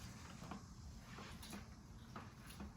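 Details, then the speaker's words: RockShox Recon fork after fix for clicking at full compression: soft even thumps about once a second as fork compresses, no click; normal fork compression. "completely gone no noise guys so that's how you fix it"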